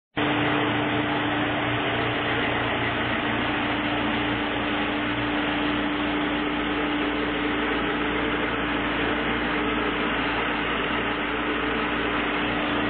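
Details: Chevrolet Niva 1.7i right after an engine overhaul (42x34 valves, 14 cam), first kilometres of break-in, before chip tuning. Idle just after start is smooth and even, with a steady hum and no knocks, ticks or misses: normal idle.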